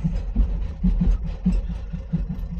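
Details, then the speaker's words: Renault Kangoo D55 1.9 diesel started from cold, after an injector-freeing treatment: low, lumpy idle with uneven stumbles and some smoke, then it stalls. It still misfires but starts straight away, with better combustion than the day before; very clogged injectors are suspected. "donc il y a comme des ratés mais par rapport à hier bah du coup on a une meilleure combustion puisque il démarre direct sans problème"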